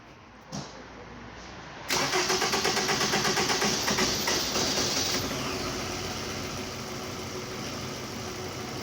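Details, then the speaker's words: 2009 Toyota Camry with a fuel gauge fault and misfire codes: long, even cranking whir for about three seconds before it catches and settles to idle; long crank blamed on a faulty fuel filter assembly. "Another complaint too from the customer is that you can know the check engine light, the fuel gauge is not working, so it will be fuel filter assembly faulty and causing the rough idling long crank"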